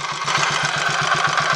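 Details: Royal Enfield 500 Machismo electric-start single at idle, after timing gear backlash and primary chain adjustment: idle thumps about seven per second with a clattery mechanical rattle on each beat, seemingly from the primary side; source unidentified.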